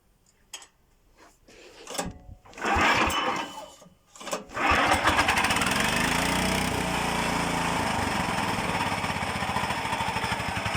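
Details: Gearbox driven by a small engine hums with a steady drone from poorly meshing gears that the builder doubts will ever mate; he plans to separate the gearbox and fit another.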